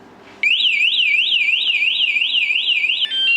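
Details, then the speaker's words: Jeep with an aftermarket vibration sensor alarm, armed via the lock button, then touched: loud, piercing siren warbling up and down about three times a second, the alarm tripping. "not be picking it up but also I feel like that was like the warning did you hear that like that first like was kind of like uh-uh like here all right I'll lock it again and it goes like uh-uh ready like don't you do it"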